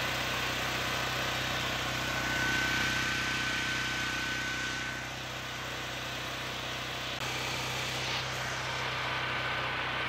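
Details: Generac GP6500 generator, COSense module bypassed and the two black switch wires jumped: loud, steady, even drone at constant speed, no misses or surging, no load; running smoothly.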